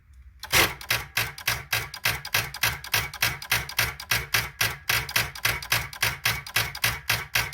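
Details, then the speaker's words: 2012 Chrysler Town & Country won't start, starter relay jumped: rapid steady clicking, about three or four a second, with no cranking. Battery voltage drops to four volts, starter pulling around 237 amps, battery dead. Starter clicking from weak battery. "voltage is our green Trace we are dropping down to four volts here um this battery is toast"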